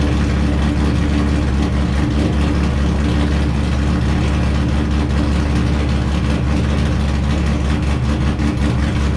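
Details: Wrecked C5 Corvette Z06, run in gear with clutch out to check transmission and diff; deep even drone, no grinding, knocking or binding: gearbox and diff healthy.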